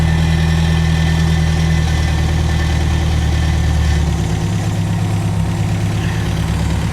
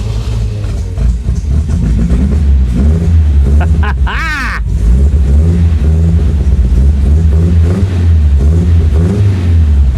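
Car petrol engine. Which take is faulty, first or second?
second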